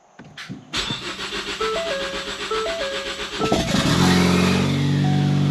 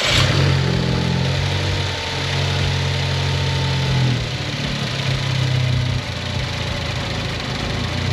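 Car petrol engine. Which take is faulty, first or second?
first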